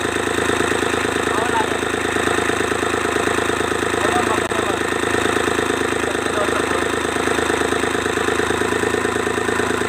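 Steady cranking rhythm, about three compression beats a second, runs ten seconds without catching: a diesel that is hard to start.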